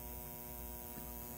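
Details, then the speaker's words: 1947 Sentinel 294T radio, speaker output transformer secondary reading only four to five volts: constant low buzzing drone through the speaker, unchanging; mains hum, source not yet found. "I don't know what's going on but it's still making four or five volts but listen to that hum you don't want that in a radio"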